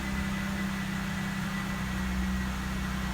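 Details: 2012 Jeep Wrangler 3.6 Pentastar after repairing the broken cylinder 3 coil connector and clearing P0303: smooth, even idle with a steady low hum and no stumbles; scanner shows zero misfires on all six cylinders.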